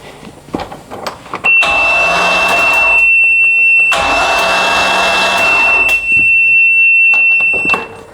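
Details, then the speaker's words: MerCruiser 5.7 boat engine, rebuilt after flooding (blown head gasket, destroyed piston), cranked in neutral without distributor and plugs installed: starter spins it over in two steady, even bursts with a high whine, no binding or clunks; normal cranking. "So, it's spinning over. So, it's spinning over good."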